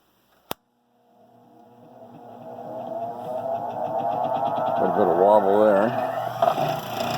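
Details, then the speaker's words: Rikon slow-speed bench grinder spinning up: rising hum that wavers and throbs at speed, heavy vibration mostly from the left wheel; wheel nuts keep loosening; out-of-balance grinding wheel, later fixed by balancing and truing. "well snut doesn't seem to be loose sure it's vibrating a lot that doesn't seem to be able it's like I'm getting most vibration out of it left wheel"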